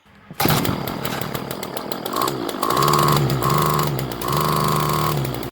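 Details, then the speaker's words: Two-stroke Craftsman string trimmer, model 358.797270, bought for $2, after carburetor mixture screws reset about one turn out: catches and runs cleanly, cycling between wide open and idle for about 15 minutes, restarting on first pull; normal running. "set up back running maybe 15 minutes between wide open and idle but she restarting on the first pull it can't beat a two dollar weed wacker"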